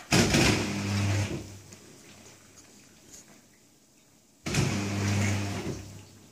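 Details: New Candy Trio 9501/1X running loud: two roughly one-second bursts of deep droning hum with low buzzing resonance, quiet between them.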